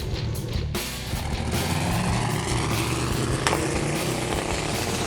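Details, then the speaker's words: 1974 Mazda RPU "Mazdarati 2.0", mid-engine turbo 5.3L LS4, fresh battery and no alternator, on a drag-strip pass: coarse, uneven, ragged exhaust note. Rough running; suspected pedal, throttle body or wiring fault, with oil dumped on the track. "it sounds horrible it sounds awful"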